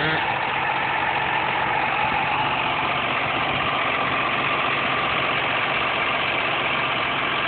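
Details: 2.5 V6 Cougar with automatic transmission at steady idle with a busy, uneven rattling whirr from the engine; source not identified.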